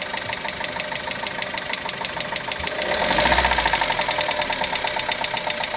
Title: Golf 1.4 tsi clicking sound